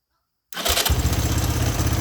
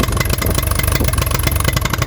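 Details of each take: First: 1983 Honda 200E three-wheeler single cylinder with a new carburetor fitted: silence, then it catches at once and settles into a quick, steady idle with no stumble, purring. It still smokes. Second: 1983 Honda 200E three-wheeler after carburetor adjustments: uneven stumbling single-cylinder idle with irregular firing; still runs rough, owner plans a carburetor kit.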